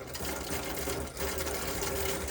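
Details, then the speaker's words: Elddis Autoquest 130 motorhome, hot side of tap drawing water through to fill the boiler before lighting it: fast, even pump buzz with spluttering, gurgly water and air bursts; normal purging. "so you can hear it's kind of just coughing out a lot of air at the moment that's totally normal but I'm just going to allow it to get up to pressure and just just pump that that air out"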